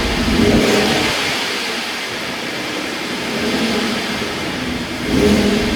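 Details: 2016 Ford F-150 3.5 V6 first runs after the correct starter was fitted; still smoking a little from fluid it is burning off. Revs rise and fall cleanly with even response and no misses or knocks. Normal revving.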